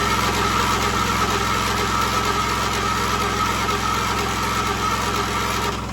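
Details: 1976 John Deere 300 mower, jump-started after a dead battery: steady, even engine drone with no knocks or misses; smooth healthy idle, no fault heard.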